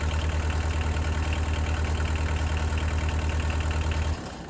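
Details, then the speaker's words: Early-1980s Bobcat 743 diesel skid steer with several hours on it, started after fuel filter replacement: steady, even low diesel thump at idle, about three pulses a second, no misses or knocks, then shuts down; normal healthy idle. "I'm going to go ahead and fire this thing up, and once it's up and going, we'll let it run here for just a little bit, and then we'll check our oil levels, make sure everything is fine there."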